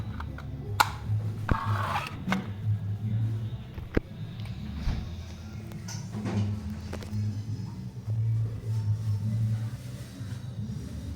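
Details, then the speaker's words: Mabe refrigerator that doesn't cool: the compressor hums and rattles in short bursts, starting then cutting out. The fault is the PTC start relay assembly. "no enciende trata de [Música] encender arranca se apaga ella entra o sea arranca el compresor y comienza a cascabelear"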